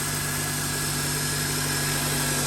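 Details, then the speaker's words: 2003-2007 Honda Accord 2.4 K24, first start after starter replacement: steady, even idle with a smooth low hum and no misses or knocks. Normal idle, though it sounds somewhat weak. "Sounds good. Not gonna lie, it sounds pretty weak."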